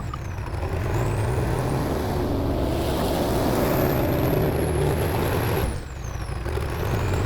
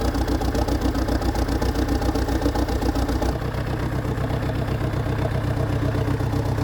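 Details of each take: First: TD8E bulldozer diesel after topping up low transmission oil with universal tractor oil instead of the specified Hydran. It idles okay but drones unevenly, dips in pitch, and builds RPM slowly with a "helicopter" sound: engine bogging under load. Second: Dresser (International Harvester) TD8E bulldozer diesel just after fuel filter replacement. It ran with a "helicopter" sound before. Now a steady, even idle with regular firing pulses and no misses or stumbles. New fuel filters appear to have fixed it.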